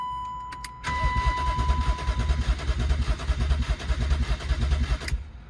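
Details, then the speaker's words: E36 BMW 328i convertible, sat two years, with the tank full of mostly old fuel. A chime, then four seconds of even starter churning with no firing at all: crank no start, the immobilizer blocking the start. "still don't want to start though"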